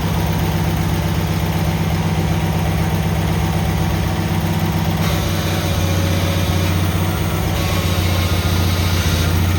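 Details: Cub Cadet 782 tractor started after repair: steady, even low thrum with a constant beat, no misses or knocks; idling cleanly and healthy.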